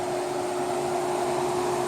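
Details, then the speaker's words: Welder running after its faulty relay was bypassed and the coil contacts taped off: steady, even fan rush with a faint electrical hum and no relay chatter or buzz, so it runs cleanly. "I just uh I can turn this off. I just deleted my relay for now until I can get a new one."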